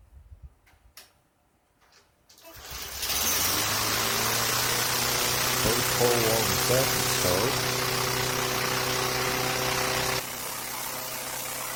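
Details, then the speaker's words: 2003 Craftsman M110 mower small single-cylinder engine, first cold start of season after spark plug refurbish and service, no primer or choke, started on 2 pulls: even steady beat with no surging or misses; runs clean. "Ah, 2 pulls. Sounds good. Smooth. No surging or missing."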